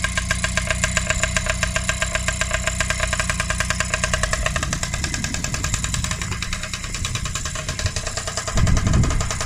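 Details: Freshly rebuilt Honda QR50 two-stroke started outdoors in the yard, oil topped up, little petrol in, new carb fitted: steady pulsing idle putter with a few light blips; normal two-stroke idle.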